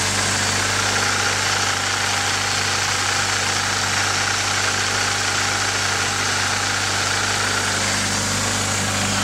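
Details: Nissan 240sx KA24DE engine at idle with a steady faint busy rattle and ticking on top, unchanged throughout; owner suspects timing chain noise, not confirmed.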